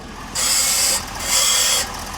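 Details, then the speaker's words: 2023 Ford F-450 Powerstroke at 50,000 miles: high scratchy screech in sub-second bursts with each steering movement and return to center; first suspected the power steering pump, found to be worn front ball joints. "But what we also notice is when it's making the noise, it is also when the steering wheel returns to center. So something is really going on, and that's actually not the power steering pump itself, altho"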